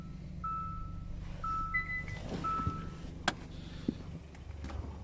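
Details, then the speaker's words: 2014 Hyundai Santa Fe started up during a pre-purchase inspection: low, steady idle rumble under dash chimes and a click, no ticking or puffing; no exhaust leak, engine sounds smooth. "there is no exhaust leak everything here sounds good"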